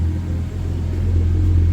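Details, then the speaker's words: 1990 Nissan 240SX, R34 RB25DET swap, failing fuel pump and filter: pump disconnected with engine running to burn off fuel in the lines; low steady idle rumble persists, heading toward a lean stall. "it's not even plugged in oh what the heck how is this running right now"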